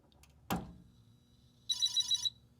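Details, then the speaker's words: Commodore PET 4032 under restoration, with substitute 6502 CPU and ROM/RAM board, CRT unplugged, mic near the speaker: a switch clicks, then a short high warbling chirp, a normal power-on boot. "I'm going to stick it in the case and we're going to turn it on and you'll hear it chirp and uh we'll proceed from there."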